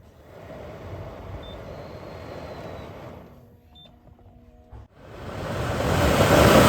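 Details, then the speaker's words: BMW 3 Series F30/F31 cabin blower fan, cleaned after ten years without maintenance, test-run before reinstalling: quiet hum, then a strong, smooth rush of air as the fan spins up with no rattle or abnormal noise. "Không có tiếng ồn bất thường, và nó ở trong tình trạng tuyệt vời!"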